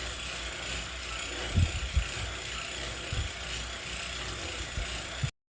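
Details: Wahoo KICKR CORE trainer with Zwift Ride on a rocker plate: steady low flywheel hum broken by a few sharp, irregular clicks under pedalling load; apparently a known issue, unit later replaced.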